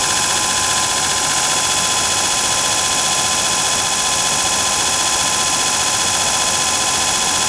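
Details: Antique Allis-Chalmers 10 HP electric motor after worn shaft and keyway repaired, first start on 110 V with capacitor bank: steady even hum with high whir, no rubbing; running smoothly.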